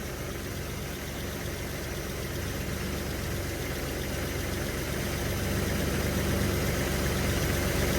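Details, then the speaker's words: 1981 Chevy C10 square-body V8 idling after all spark plugs were changed (front cylinder's old plug was oil-wet): steady, even low rumble, idle higher and holding higher than before; sounds better than before, normal idle. "It sounds good. I'd almost say it sounds better than what it did before. The the idle is higher."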